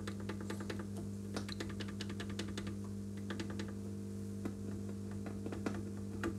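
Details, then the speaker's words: Epiphone Valve Special hybrid tube/solid-state guitar amp with class A single-ended output stage: irregular sharp crackles and pops over a steady mains hum, traced to a ground not properly connected. "these grounds are not very good okay we've got a ground problem here one of these things is not properly connected to ground"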